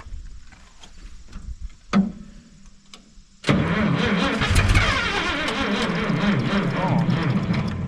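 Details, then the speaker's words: Minneapolis-Moline G900 LP tractor after a coil swap: slow, uneven cranking with weak pops, then a rough catch that runs raggedly and won't keep running. Owner suspects a fuel problem, possibly a plugged filter; a bird's nest was later found responsible. "maybe we got a fuel problem h cuz she fired"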